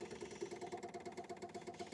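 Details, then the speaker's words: MGB, ignition switched on, electric fuel pump ticking rapidly about eight clicks a second as it fills the carburetor float bowls, squirting heard in the float chambers; no leaks found. "I'm suspicious it's still ticking, but then I guess it's got to fill up the float bowls."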